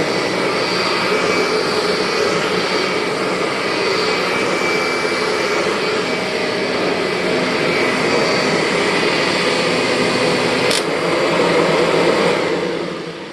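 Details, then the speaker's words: 2001 Kirby G6 vacuum after refurbishment with new bearings and modified transmission gears and belt: steady, even motor roar with no whistle or gear whine, easing off as it winds down, normal running. "And if you're wondering why this G6 doesn't have any transmission whine at all, go back into my video and you'll see that I made some modifications to the gears and the belt in there, so no more whine."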